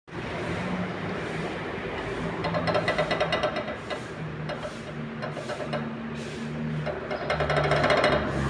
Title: Barulho na suspensão do Etios, Amortecedor com folga na haste totalmente estourado #automobile